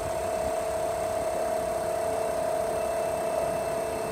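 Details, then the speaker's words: Electric AC compressor, microphone placed beside it, running 14 oz short of refrigerant with no oil return and a very hot discharge line: a steady, loud mid-pitched whine. "So the compressor is sounding a little funny with 14 ounces of refrigerant missing. So no oil's not coming back, and that discharge line's really hot."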